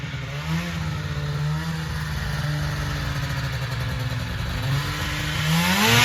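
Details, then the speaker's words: 1980 Yamaha Exciter snowmobile revived after sitting 19 years: crisp two-stroke buzz revving cleanly with no misses or knocks; running healthy. "so sounds all right yeah sounds good man"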